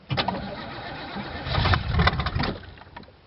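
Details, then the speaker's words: 1986 Oldsmobile Cutlass Supreme 305ci Chevrolet V8, cold start after 60 days parked with a weak battery; long labored cranking, then ragged firing that cuts in and out; dead cylinder suspected from a bad plug wire or fouled plug. "Well, that was a cold start, but it's she's a runner. Whew. Wow. So it definitely has a dead cylinder. It keeps cutting in and out."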